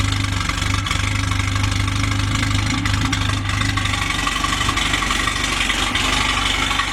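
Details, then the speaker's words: Freshly rebuilt Jeep CJ5 F-head four-cylinder on first start-up/break-in, heard at the rear through a homemade 2-inch exhaust and muffler: steady, even, throaty idle around 750 rpm, no knocks or misses; normal idle. "Okay, I hope you were able to hear that exhaust okay. Sounds pretty good for a homemade muffler."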